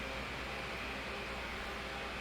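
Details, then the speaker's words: 2007 Holmes 12-inch desk fan HDF-1209, cleaned and serviced, on high speed: steady, even rush of air like a blizzard fan, no ticking, rubbing or wobble; 16-inch motor drives a 12-inch blade; normal running. "it's the same thing with the high speed really sounds like a blizzard fan here yeah not really"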